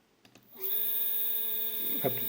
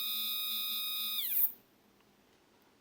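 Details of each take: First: Two 3D printer stepper motors wired in parallel, sharing 2 A peak, feed rate 1000: after half a second they kick in with a loud, steady mid-pitched whine and high overtones. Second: Stepper motor previously used on a printer's X/Y axis, run alone at feed rates of 1000–3000: a clean high whine that slides down smoothly as it slows and stops. Each motor behaves the same when connected separately, which is normal.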